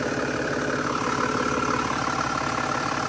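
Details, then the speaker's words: Mercedes E320 CDI turbo diesel, first start after an oil fill, glow plugs and fuel pump primed: even diesel clatter at idle, no misses, knocks or hunting; sounds good, no leaks. "all right fired right up okay sounds good sounds really good"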